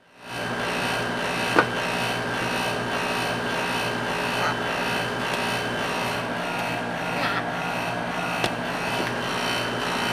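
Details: Outdoor A/C unit: harsh steady rasping buzz from loose sheet metal casing panel rubbing at a corner; pushing on panel stops the noise; fixed by bending panel.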